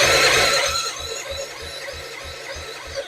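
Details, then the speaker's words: 2005 Suzuki Intruder 250 LC non-runner during a compression test: the starter turns the engine over in steady chuffs about three a second with no firing. The front cylinder reads 120 and the rear cylinder 160. "Okay, guys. So we get 120. So exactly."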